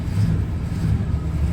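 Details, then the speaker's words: 1961 DeSoto, 60,000-mile survivor, just started: deep, even V8 rumble with a steady low beat and no tapping or stumbling; fired right up and running cleanly. "There we go, she fired right up. Look at that. You're running great."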